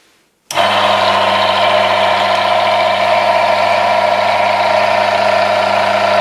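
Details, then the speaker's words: Automatic transmission oil additive test rig with worn, scored surfaces and metal chips in used oil, after adding ATF Power Mix: steady even hum, fixed tone, no grinding or scraping; immediate noise reduction even under increased pressure. "immediate noise reduction and as soon as I increase the pressure, the surface is smoothed, optimized, the lubricant has a higher shear strength , a higher performance, even under increased pressure, there is no friction"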